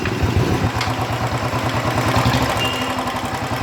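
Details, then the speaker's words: Royal Enfield Bullet 350 Electra single at idle; tick-tick tapping that speeds up and slows with engine speed, quieter than before; worn rocker contact pad causing valve tapping, to be leveled with emery paper. "जो टक टक टक टक टक आवाज आ रहा है इसमें इंजन के साथ अगर इंजन फास्ट कर रहे है तो फास्ट आवाज आ रहा है स्लो कर रहे तोलो आवाज आ रहा है बट अभी पहले से कम आ रहा"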